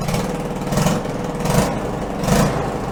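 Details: '74 ATC90 hybrid with swapped '72 US90 engine, carburetor refitted with new float O-ring and two copper crush washers: little single revs cleanly three times and drops back to steady idle, no misses or knocks; normal running.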